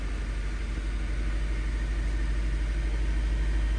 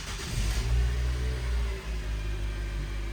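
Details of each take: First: 2013 Nissan Sentra four-cylinder at idle in park, rough idle and shaking; scan tool real-time misfire count shows cylinder one misfiring. Steady idle with faint uneven stumble, fitting intermittent misfire, suspected from a failing coil. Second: 2013 Nissan Sentra after repair of rough idle and shaking via coil packs and spark plugs: deep, steady idle settling right after start with no stumble or shake; no fault codes; normal idle.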